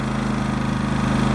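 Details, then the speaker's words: New Harbor Freight Predator 5000 watt dual-fuel generator just after first startup, some new-engine oil smoke expected to clear: even, steady low putter with regular firing pulses and no misses or knocks; quiet, normal idle. "Little bit of smoke, but that should clear up after a few minutes. It's actually quite quiet."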